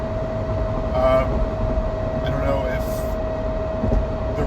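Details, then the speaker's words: Car at 0% oil life, cruising on the highway: steady, high, siren-like whine holding one pitch above road rumble, a very loud rear differential whine; owner wonders if the diff is cooked. "That is the loudest diff whine I think I've ever heard in a car. It sounds like a siren."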